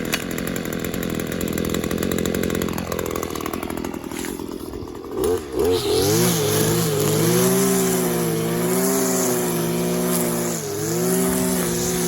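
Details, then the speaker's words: Stihl KM94 RC combi powerhead with strimmer attachment, tested after a rebuild with new bearings, seals and carb work following years of hard use: revs held high and crisp, then a slightly wavering but steady idle that picks up cleanly; running healthily. "so yeah you saw it in action i've just gotta finish it off and hope i'll do that a bit but i didn't think he wanted to see too much to him in but um yeah it's right it's running well"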